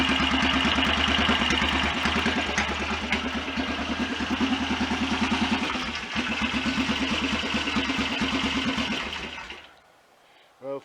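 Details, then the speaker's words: BSA DBD34 Gold Star 500 scrambler with obviously high compression ratio: slow, even thumping tickover, fairly respectable, after ignition retard, then fades out; normal idle. "for something with such a obviously high compression ratio, that's a fairly respectable tick over."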